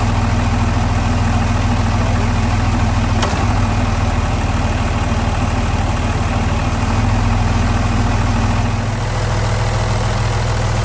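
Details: Boat Velvet Drive marine transmission, clunk being investigated with the engine mounts getting old: steady low diesel idle with one sharp clunk as the gear engages; the spline shaft coupling into the transmission had loosened before, cause not confirmed.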